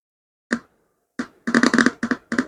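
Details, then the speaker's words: Tape recorder speaker tested on its black ground and orange or red lead while checking a no-sound fault: sharp pops and click bursts as contact makes and breaks; speaker works normally. "நான் ஒரு side கொடுக்கிறேன் கருப்புல இந்த speaker work ஆகுது தெரியுதா"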